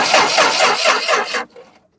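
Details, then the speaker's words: Car, starter spins the engine in an even rapid chug for over a second with no firing. Cranks but won't start; possible causes listed include cam or crank sensor, computer, fuel pump or relay, and ignition, none confirmed. "so if your car doesn't start you got to tell them if it cranks like that okay or it does nothing okay that's the difference here because if it cranks and makes that noise"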